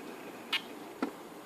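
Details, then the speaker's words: Canon 70-200mm L IS USM lens switching off its Image Stabilizer after a shooting sequence: two brief clicks, a sharp high one then a lower softer one, with a faint whir. This is normal and quieter than the camera mirror. "é isso, tá vendo esse barulhinho depois que ela acabou e desligou o Image Stabilizer? Então é esse o barulho que nós estamos tratando e falando do Image Stabilizer, que é praticamente o mesmo barulho do espelho"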